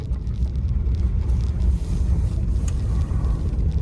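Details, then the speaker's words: 1985 Chrysler Fifth Avenue, 95,000 miles, first drive after 7 years' storage: deep rumble surging and sagging unevenly, shuddering and running very rich, with some wind noise; rough running. "but she is shuttering uh she's running richer she looks like a diesel she's running so rich don't you dare stall"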